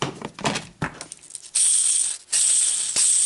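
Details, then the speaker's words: Yamaha Kodiak/Grizzly ATV old front wheel bearing spun by hand: a gritty, hissing rattle with uneven roughness. Worn wheel bearing, replaced with new double-sealed bearings. "okay so listen to the old bearing pretty bad"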